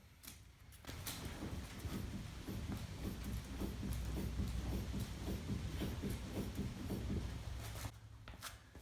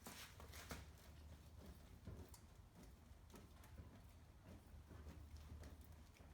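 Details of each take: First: Chevy Cruze front suspension pushed up and down by the fender in garage: rapid hollow clunks and pops, three to four a second, from worn front sway bar links, before replacement with Moog links. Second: Chevy Cruze front corner rocked after replacing the sway bar link with a Moog part and torquing the wheel: soft dull thumps, the earlier popping/clunking noise gone.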